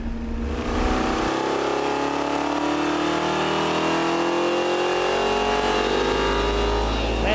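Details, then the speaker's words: Bracket race V8 from repurposed parts on the dyno, full-throttle pull after three more degrees of timing, longer studs and a one-inch spacer: loud smooth climbing pull, no misses, pops or knocks; crisp normal run. "crisp it sounds good it likes to climb too"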